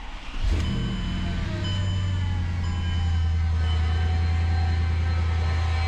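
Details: Mercedes CLS55 AMG M113K supercharged V8, first start after replacing worn idler pulleys with billet UPD ones (was squealing): loud deep steady drone at idle, persisting after warm-up; owner unsure, doesn't think pulleys, maybe supercharger; excessive engine noise.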